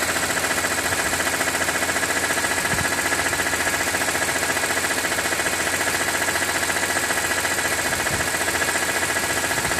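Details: 2006 BMW E46 M3, 42,600 km, oil temperature above 80°C: steady light ticking two to three times a second over busy idle; abnormal engine knock, owner wonders if oil pump, cause unknown.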